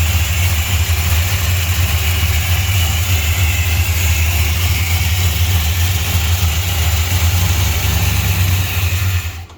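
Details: 1968 Chrysler Newport Custom with a new Holley Sniper EFI, oil pan just redone, first start since 2013. It catches and settles into a steady, even idle with a smooth low rumble and no knocks or misses: healthy.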